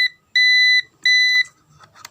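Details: Digital multimeter on continuity buzzer mode after replacing its 1.5 V AA battery (before, it did not beep): two clean, steady half-second beeps, then handling noise. The continuity buzzer is working normally.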